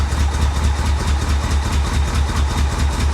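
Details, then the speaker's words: 1985 Chevrolet Corvette recovered from a swamp: rough, stumbling idle with steady pops through the exhaust about twice a second; misfire at idle, suspected timing, fuel or wrong plug-wire order, unconfirmed. "yeah that sounds like a timing issue doesn't it i don't know could be fuel could be timing it could be someone got the plug wires on wrong"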